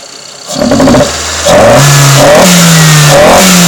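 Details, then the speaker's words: AW11 Toyota MR2, fresh oil, plugs and filter after injector and distributor cleaning, low compression readings: revs stutter and stumble at low rpm before picking up; owner suspects bad plugs or timing. "you can see how much it stutters at the lower rpm so probably bad plugs or whatnot"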